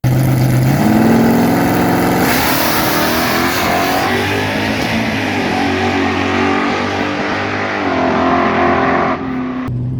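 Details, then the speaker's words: Drag car on nitrous tune with reduced jetting and a hotter plug, coil zip-tied in place, a bad plug wire suspected: loud pass where the note stumbles and the rpm flutters, a misfire; it coasts across the line at 98 mph. "Bit of a miss out there, it sounds like. And the motor kind of fluttering as far as the RPM goes."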